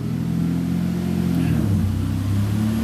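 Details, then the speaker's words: Warm engine on an untuned base map, idling with okay oil pressure, good vacuum, running a bit lean: steady low rumble with idle drifting up and down slightly; hunting idle. "so she's got all right oil pressure it's hunting a bit it's got good vacuum running a bit on the leaner side at the moment"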